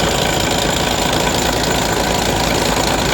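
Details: MAN mixer truck diesel idling steadily with an even clatter and no misses, after a no-start was fixed by repairing a broken wire from the ignition switch.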